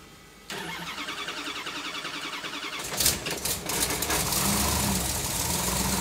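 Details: Supercharged big-block on engine dyno (Harrop TVS2650 kit), still on running-in oil after a 2000–3000 rpm run-in, new second valve springs: starter cranks briefly, catches in about three seconds, settles into a lumpy, even idle.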